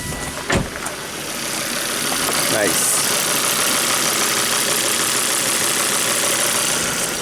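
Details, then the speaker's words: Volvo V70 wagon after a 400-mile trip, revved with a glove fitted to check crankcase pressure. The glove does not inflate. Revs swell smoothly to an even roar with no rough running; the PCV oil separator is not clogged. Normal revving. "Just for kicks Let's uh rev it up make sure that glove doesn't explode"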